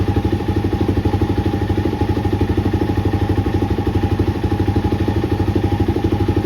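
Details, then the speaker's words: 2020 Suzuki DRZ400 that was making a funny noise and had non-ferrous metal debris in its drained oil, running after fresh oil, a new filter and a cleaned screen: quick, regular single-cylinder thump with light top-end clatter, sounding better; cause of the noise still unknown. "And so, now we're going to fire it up and see what it does with fresh oil. Already sounds better."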